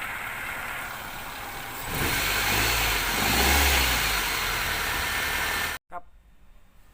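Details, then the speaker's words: Toyota Soluna (orange turn-signal corner model) with a no-start fault: no power reached the spark plugs, traced to a failed EFI relay. After the relay was replaced the engine cranks briefly, catches at once and runs evenly with no stumble or misfire. "กำลังจะมีการเปลี่ยนแล้วนะครับก็คุณพยนก็สามารถประกาศติดได้ปกติครับ"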